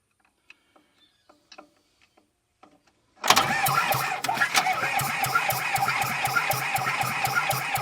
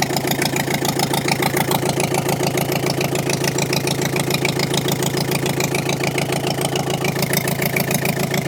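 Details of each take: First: Small Komatsu dozer diesel, probably idle about 10 years, after the head was refitted, cranked with ether: steady rapid cranking at about four turns a second with odd uneven chuffs, reluctant to catch. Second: Komatsu dozer diesel engine after repair work including valve work, running with no coolant circulation: even beat of about three and a half pulses per second holds steady; runs smoothly and healthy.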